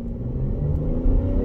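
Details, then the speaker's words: Car on a freeway and city test drive under half throttle: smooth, steady low rumble building evenly, no knocks or rattles; shifting smooth, engine sounds healthy. "the shifting feels smooth the engine sounds healthy no rattling"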